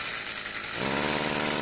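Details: Stihl FS46 two-stroke string trimmer that won't rev up, owner thinks carb adjustment needed: buzzes, then on throttle the note rises only a little, muffled and strained; bogging under throttle found caused by plugged spark arrestor restricting exhaust.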